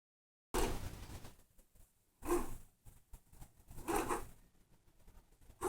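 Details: Thrustmaster T300 force-feedback racing wheel being turned: short rough scraping bursts about every two seconds, light grinding and resistance inside the drive, though the wheel works fine.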